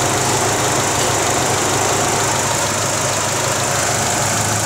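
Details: Great Wall Hover H3 after head gasket replacement for a blown gasket, warm at 86°C with cooling fan running, no errors: steady, even idle under a loud fan rush, no knocking or misfire; repaired and healthy.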